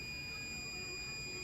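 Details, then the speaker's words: New replacement indicator relay for Meta Systems M76 car alarm on 12 V bench supply with meter: clean steady beep as power applied, relay changes state properly; old relay stuck until tapped, causing sticking indicators. "Right, I've got the new relay here, hooked up to my meter and bench supply again. And if I turn the power supply on, you can hear the relay changing state."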